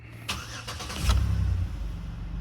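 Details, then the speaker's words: 2008 Chevrolet Impala with rodent-chewed wiring, after wire repairs and fitting a used TCM: brief crank, fires within a second into a steady idle with no codes; normal start. "And look at that. Fired right up. No codes. Nice. Very nice."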